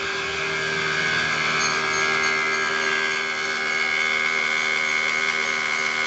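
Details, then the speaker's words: 2010 Toyota Alphard 2AZ-FE, cold start: harsh high-pitched metallic whirring rattle over idle, constant and gritty; balancer shaft gear likely worn or broken. "hai oke dimatiin nih ya itu Salah satu gejala problem yang ditimbulkan oleh suara kasar dari balancer shaft pengin ya Jadi pada saat memang awal saat dingin bunyinya gitu Ya kemungkinan besar sih Balance resepnya nih udah mulai hancur ya"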